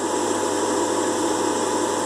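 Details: Air fryer after repair of a missing motor-mount screw and broken rubber stabilizer that had fallen into the fan and caused a strange noise: steady even fan whir with no rattle or scraping; runs normally.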